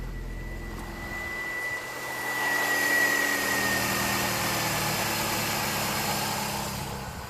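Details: 2001 Toyota Yaris 1.3 petrol that started then stalled (P1310), after repairing tampered ECU plug wiring: engine catches after a short crank, swells up, then settles to a smooth steady idle without stalling.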